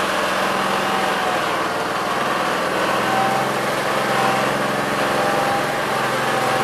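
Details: 1969 Gravely 432 single-cylinder engine, next morning at about 15 degrees, first drive after carb float level fix; steady even drone with no misses, knocks or surging. Normal running.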